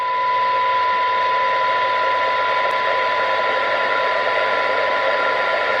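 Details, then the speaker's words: 1980s Harry Moss PT 325 UK FM CB radio after receive-stage alignment, heterodyne mostly cleared, signal taken down to about 0.1 µV: a steady test tone comes through clearly over soft, even hiss with no whistle; sensitive, well-aligned receiver. "We're about 0.1 of a microvolt there, so it's pretty decent. Pretty decent."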